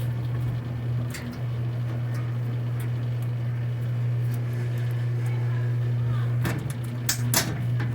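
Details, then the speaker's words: Electrolux 8 kg LM08 washing machine after replacing the drum bearings and seal to cure noise during washing: spin cycle gives a steady low motor hum with only a few handling clicks, no grinding or rumble. "fazendo a parte da centrifugação então nós tiramos o problema que era o barulho que tava fazendo trocamos os rolamentos e trocamos o retentor para não estragar o rolamento novamente"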